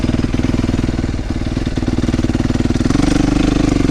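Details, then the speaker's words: 2008 Yamaha YZ450F after tightening the drive chain and exhaust clamp, not fully warmed up: lumpy idle at about four beats a second with uneven exhaust pops. Chain noise is gone but popping remains; cause not yet confirmed. "Well, the chain noise is definitely gone. Still a little popping, but it's not all the way warmed up yet, so. Pop, pop, pop."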